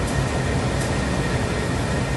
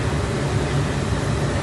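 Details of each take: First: 2003 Nissan Pathfinder dash blower after blower motor resistor replacement: a steady, even airy rush with no rattle, squeal or surging. Fan speeds are controllable and it shuts off properly. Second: 2003 Nissan Pathfinder blower fan stuck on high, even with climate control off, steady loud rush and low hum never changing speed; failed blower motor resistor, fixed by replacing it.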